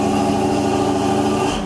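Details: 1970 Cadillac Eldorado V8 with a 3-step carburetor, just after a cold start on choke. It holds a steady, even fast idle with a low rumble, easing down slightly as the accelerator is pressed to drop the idle step. This is a normal fast idle.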